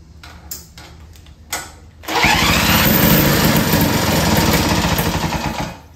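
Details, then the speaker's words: Lawn-Boy 3050 two-stroke mower after new wheels, ignition adjustment, spark fix, throttle control fitted and gas tank cleaned: several cord pulls, then a busy, even buzz before shutdown; normal start and run. "so we went through got some new wheels on it adjusted the ignition fix the spark issue got the throttle control on it cleaned out the gas tank i think we're ready to mow let's start her up"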